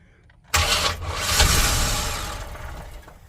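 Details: 1998 Express 3500 after ECM replacement with VATS deleted and the security light staying on: starter turns, engine catches, flares and settles to an even idle. Clean start, though it is not charging and the oil pressure gauge is pegged.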